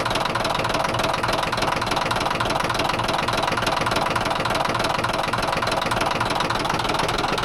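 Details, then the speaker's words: Caterpillar D9H dozer diesel idling: steady hard knock at roughly three or four beats a second; engine knock, sounds terrible. "That sounds terrible, doesn't it? Holy moly."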